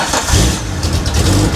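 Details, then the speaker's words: 1980 Datsun 280ZX after a resonator welded into the exhaust, no muffler: deep steady rumble with open throaty exhaust, no knocks or rattles; much quieter than before. "Oh man, it's actually quite a bit quieter. Not bad. Much better than it was."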